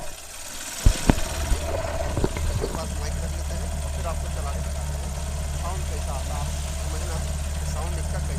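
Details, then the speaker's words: Hero Shine motorcycle whose engine had been rebuilt elsewhere, before repair: after a few sharp clunks it settles to idle with a light repeating crack-like crackle from worn primary gears; it doesn't sound as good as it should. "आपको करीब में ये sound मेरे मित्र जितना अच्छा होना चाहिए उतना अच्छा नहीं है वो साउंड है"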